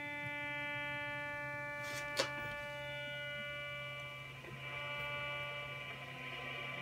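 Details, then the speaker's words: Steady buzzy hum with stacked fixed tones in receiver audio while listening to low/medium frequencies on an indoor loop antenna with an AirSpy Discovery; switching-supply interference from the computer monitor, vanishing when it's off and varying with monitor placement. "okay so i thought that was kind of interesting so just placement of the monitor in r in respect to the antenna can be a really big deal in in listening to uh some of these lower frequencies"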